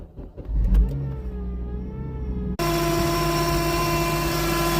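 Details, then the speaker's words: Honda Civic Type R FN2 engine running with the auxiliary belt on; steady droning whine and rough chatter from the belt-driven accessories, which quieten once the belt is removed. "so as you can hear it doesn't sound very healthy at the minute so let's take the auxiliary belt off and see if we can find out what the noise [Music] is"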